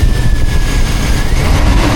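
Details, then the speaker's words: Modified truck with new fan shroud side insulation (foam tubing wedged between bracket and radiator), AC on high recirculating at about 240 pressure reading: engine raised in RPM gives a deep, steady roar with strong fan rush. The cooling fan is working normally. "Let's give it some RPM. See if this fan sounds any different."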